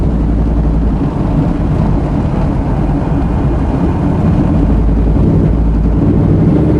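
Engine runs with a low, uneven, stumbling beat rather than a smooth hum; it sounds like a misfire, cause not evident.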